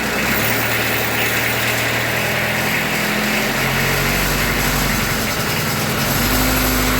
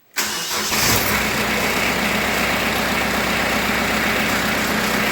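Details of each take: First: Kubota B3030 diesel tractor after 400-hour service and filter change, briefly started without coolant: idle has a short unsteady patch then settles to an even beat as a small air bubble clears through the injectors. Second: Kubota B3030 diesel tractor at 400-hour service, after oil and filter change, started with glow plug: catches immediately and settles into a steady, even idle with no knocks or misses; healthy start.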